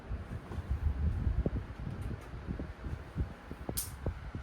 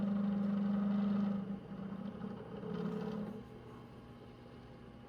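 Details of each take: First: 9-inch Galaxy desk fan after cleaning the blade and oiling the front bearing: steady rush of air, no squeal or rattle; now runs smoothly and powerfully. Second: 9-inch Galaxy desk fan: a loud rough buzz with a dragging growl while running, easing as it winds down; the bearing is dry and needs oil, since running it this way would ruin the bearings.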